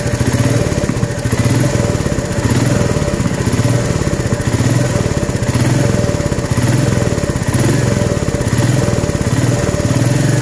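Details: Royal Enfield Meteor 350 single-cylinder idle: thumping beat with an extra rhythmic clatter riding on each beat, newly noticed; abnormal engine noise, source undetermined.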